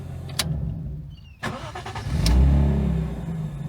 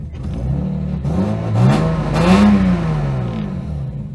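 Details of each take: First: Lexus IS200 drift build, after DIY fuel pump work and two weeks without running: a couple of clicks, then the engine catches quickly and settles into a smooth, even idle with no misses or knocks; starts normally now. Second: Lexus IS200 drift car after DIY fuel pump work, with the pump heard surging: engine revs briefly, then sags into a low, shaky idle that keeps faltering near stall. Cause unclear.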